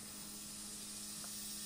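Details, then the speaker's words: Kaco blue planet hybrid inverter in solar island (backup) mode, probably with heat pump and electric car charging together at full load: quiet, steady low hum over a faint hiss as the inverter makes tonal noise, followed by a click as the lights come back on. "man dass der wechselrichter töne macht tatsächlich"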